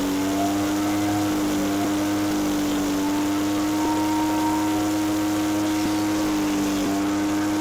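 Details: Echo PB413H backpack blower with aftermarket carburetor and NGK plug: steady high-pitched wide-open scream with a faint waver after leaning the high-speed screw, about 6400 rpm, in the recommended 6400-6600 range; idle 2600.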